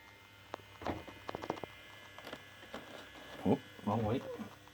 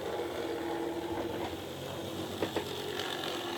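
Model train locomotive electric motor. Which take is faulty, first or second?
second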